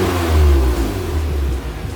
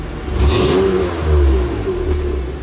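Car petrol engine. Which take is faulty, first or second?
second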